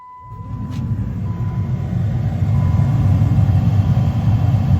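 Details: 2012 Jeep Liberty after blower motor replacement, fan switched on: a smooth, steady airflow rush with no rattle, tick or squeal; much quieter than the old motor's grinding, now running normally.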